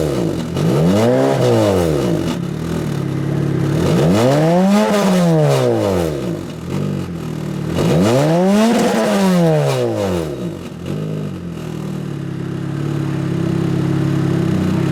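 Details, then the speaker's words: Boosted Toyota Celica with TRD exhaust tip; worn welds left a cracked exhaust with a broken canister. Three rev blips carry a tinny rattle on the exhaust note; exhaust rattle, fix planned: cut off canister, three-inch straight pipe from turbo. "as you guys can hear it is uh rattly"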